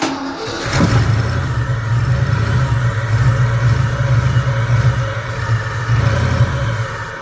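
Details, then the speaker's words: Fox Body Mustang, off the road over 20 years, first start attempt on sprayed starting fluid: engine catches, runs rough and low about six seconds, then dies; apparently no fuel, only what was sprayed into the intake. "there's like no fuel like that was just what was in the intake for me spraying it from spring"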